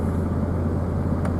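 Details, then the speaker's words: Truck driving on the road after repair, now back together with a bearing replaced; the weird noise heard since ownership, thought to be a failing bearing, is gone. Steady low road rumble, no hum, whine or grinding; no shock absorbers fitted yet. "I don't hear that weird noise anymore. Ever since I've owned the truck, there was kind of a noise that, you know, it's a truck that was new to me, I figured was kind of normal. I think that bearing's been going out the whole time."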